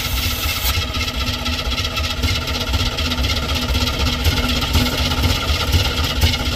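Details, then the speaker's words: Square-body dump truck sat about 10 years, flooded carburetor: engine turns over and runs rough and uneven, loping without steady beat; stuck carburetor float needle. "yeah I'm going have to pull a top of the carb off see if I can get the needle quit being stuck"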